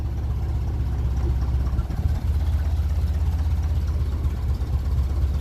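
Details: 1957 Ferguson 35 TVO tractor after adjusting valves and removing offending push rod that caused bad tappet noise; deep even low thump about four beats a second, warming up, no tapping; idling cleanly.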